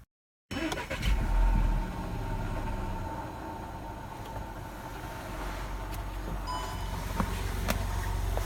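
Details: Audi A1 1.4 TFSI: starts and idles with a fast, fairly regular low ticking heard from the coolant expansion tank side; coolant loss reported; cause unknown.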